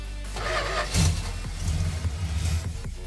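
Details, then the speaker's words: 1967 Dodge Dart during a 2-barrel to 4-barrel carburetor conversion, electric choke not hooked up and choked by hand: the engine catches, stumbles and surges. It is running lean and starved of fuel. "it is at this point that it begins to dawn on me that I have this exactly backwards I am not getting enough fuel"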